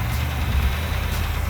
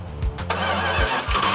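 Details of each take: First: Restored Plymouth Cuda V8 at idle: deep lumpy idle with light quick tapping on top; valve train tapping, owners hope lifters that will pump up rather than a bottom-end problem. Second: Restored Plymouth Cuda V8 after work for a vacuum leak, running in at about 2,000 rpm to operating temperature: cranks, catches and settles into a steady, even idle without ticking or stumbling; runs normally, vacuum leak apparently gone.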